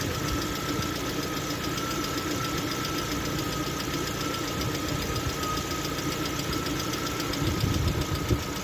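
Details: Lada Vesta at 45,000 km: fast light hydraulic lifter ticking over a steady idle. Oil pressure readings jumped; the cause was a torn oil pickup seal ring.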